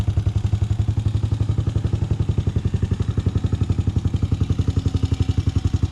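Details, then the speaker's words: 2006 Honda TRX250EX after top-end rebuild (new cylinder) and fresh 10W40 oil: steady, even single-cylinder thump at idle, about four beats a second, no knocks or rattles; clean healthy idle, rebuild a success. "I think it's been a success. Sounds good. Nothing bad so far."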